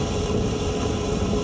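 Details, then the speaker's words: AC condensate drain line after about 20 minutes of vacuuming and roughly 3 gallons of water flushed through, clear water now coming out. Steady, even vacuum roar with no gurgling, choking or sputtering; drain is clear and pulling water freely. "Okay, so after about 3 gallons of water, uh sucking it for about probably 20 minutes, just pouring water, pouring water, just loosening up the drain. You hear it sucking and look at it."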